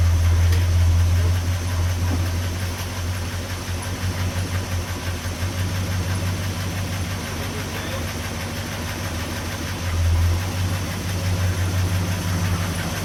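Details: 1969 Chevy C10 with a 396 big block, sitting about 25 years, started after setting timing and wiring the ignition: deep, fairly steady idle with a slight lope and occasional surges. It runs fine after long storage.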